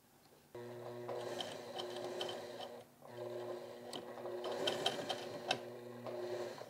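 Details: Sewing machine catching when sewing in reverse, thread ripping and pulling, bobbin flipped with no change: fast steady whirr in short runs with a ticking catch in the stitch rhythm; hook timing running early.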